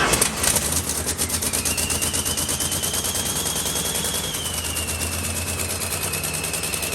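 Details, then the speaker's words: 1969 Dodge Coronet with turbocharged 383 big-block V8 on a homemade eBay turbo kit, running during break-in and getting hot: sharp popping puffs with a thin turbo whistle over idle; exhaust leaking at the muffler. "yeah it has an exhaust leak it's coming out of that muffler right there"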